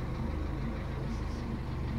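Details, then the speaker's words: Kia engine at a cold start after sitting unused for two weeks, coolant still plain water, idling at about 500 rpm; low, steady rumble with no misses, knocks or surging, running smoothly. "Ang ganda ng andar niya. Ilan ang RPM niyan? Nasa 500."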